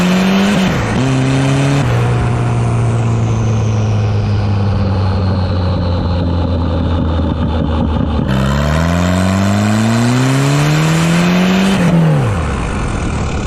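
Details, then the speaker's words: Wagon with GMC Typhoon/Syclone turbocharger upgrade, boost controller turned up; engine pulls hard with climbing pitch then power cuts abruptly as boost overshoots: boost fuel cut. "so you could probably hear there i hit fuel cut so i have the boost controller turned up a little bit"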